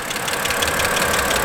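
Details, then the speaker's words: 2008 BMW X3 3.0L, warm idle: quick even light ticking over engine note, loud even with hood down; salesman suspects lifters, unconfirmed – ticking at idle. "but that clicking sound is really loud I mean even with the hood down I'm still hearing it right now"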